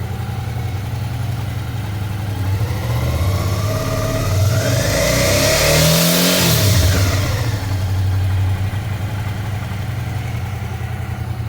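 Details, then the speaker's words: Suzuki V-Strom 650 twin revving: metallic buzz near the engine appears around 5,000 rpm. Caused by a loose footpeg bracket part, found at service. "motor então é um barulho meio metálico eu fiquei meio cismado de primeira vez que eu escutei isso"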